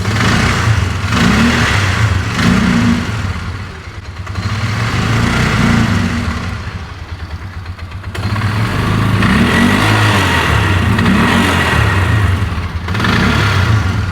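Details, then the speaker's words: 2004 Polaris Ranger 6x6 UTV after head gasket replacement: engine revs up and drops back repeatedly, flat and hollow near the top without a clean pull; running lean up high, needs more fuel, carburetor needle setting suspected wrong. "Yeah, she needs more fuel."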